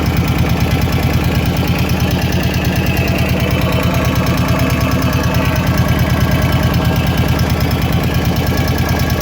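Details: Kawasaki KVF 750 Brute Force ATV at idle: sharp regular tick about three per second from the top end of the engine, source unclear.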